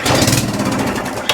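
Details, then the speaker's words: Atco Balmoral reel mower engine being checked for a noise, quick pull start: bursts straight into rapid firing for about a second before dying, showing spark, compression and fuel are present. "yeah baby should fire straight on up so that tells you you've got spot you've got compression and uh you've got fuel"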